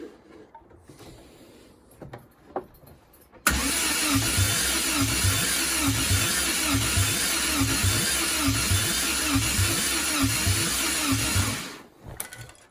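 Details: Triumph TR7 under restoration, pre-first-start tests: even starter cranking about four compression beats a second for eight seconds, never firing; spark confirmed on all four plugs, engine spins freely, no fuel yet.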